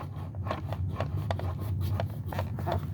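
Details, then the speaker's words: Bissell Powerforce Helix vacuum motor turned by hand, with felt resistance and uneven gritty clicks and scrapes about three a second: worn motor bearing, possibly brush roll bearings too. "so that one has got some motor bearing issues. Maybe brush roll, but I think definitely at least motor bearing with that."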